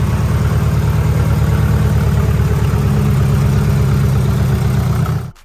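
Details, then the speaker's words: Fully built 2.2L Mitsubishi Evo 9 (42 psi boost), after a harmonic balancer bolt failure: a lumpy, uneven idle pulsing about three beats a second with a lopsided Subaru-like burble from a misfire; traced to faulty aftermarket coil-on-plug coil packs. "out of nowhere it started breaking up and it now sounds like a subaru honestly so we've narrowed it down to a misfire"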